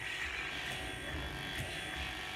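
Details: Moser 5-in-1 clipper blade, just oiled and greased, running on the clipper: smooth, steady buzz with no rattle or labouring; normal running, sounds healthy.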